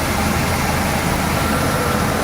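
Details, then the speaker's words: 1977 Cadillac Coupe DeVille V8, low annual mileage, not fully warmed: even idle slightly high rpm, no ticking, knocking or squeaking; healthy, very smooth engine. "but even with this rpm you can hear the uh it's a super super smooth running engine no ticking no squeaking really really nice and we're down to idle"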